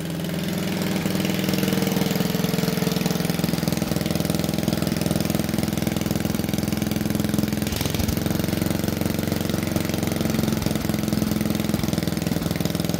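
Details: Old wood splitter engine, unrun for over 40 years, after honing the pitted bore, gapping the coil and reorienting the carburetor throttle shaft; steady even chugging about two beats a second with smooth hum, no hunting; normal running.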